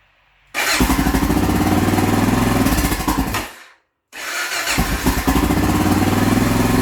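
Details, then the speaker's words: Honda XR650L after an oil and filter change with Honda 10W40 GN4 oil (2.6 L) and a factory filter, started to circulate the oil. Starts at once into an even single-cylinder thump, stops briefly, then restarts and idles steadily. Normal start and idle. "All right, once you have the oil in it, put your dipstick tube in, and you're going to want to start it up and let it run to get the oil circulating through it."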